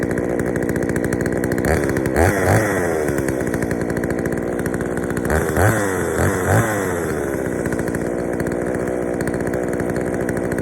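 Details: Poulan 3000 chainsaw, brought in not running, serviced with old dirty fuel drained and fresh fuel added; idles and blips up twice, slightly burbly and heavy at idle, running a touch rich on the low-speed mixture, to be adjusted.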